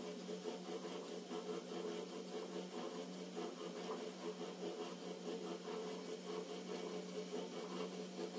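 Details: Emco Compact 8 lathe spindle turning: quiet steady hum with faint rough, irregular rasping churn roughly once a second; spindle noise, cause unknown.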